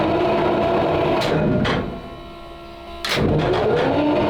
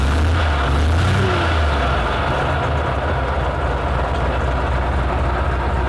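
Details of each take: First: 12-litre 12-cylinder petrol tank engine with magnetos, choke on, cranked on the starter: steady churning about four beats a second, a sagging pause, then more cranking without catching, strong petrol smell; no start, battery suspected getting flat and cranking too slow for magnetos. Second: Petrol military vehicle, started with starting spray while cranking: deep steady multi-cylinder rumble evening out into a smooth idle; engine settling normally after starting.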